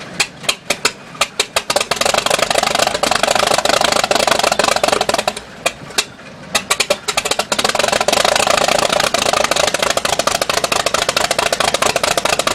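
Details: Mid-to-late-1950s Cessna 310, Continental O-470 engine 1, first start after overhaul: slow cranking with spaced firing pops, then it catches and settles into a steady, lumpy idle.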